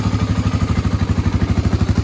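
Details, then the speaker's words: 1986 Honda ATC350X single-cylinder three-wheeler after idle raised, not fully warmed up: even thumping about twelve beats a second, every beat alike, no stumbles; idle sounds better and more even, clean and well set. "That sounds a lot better. That sounds a lot more even."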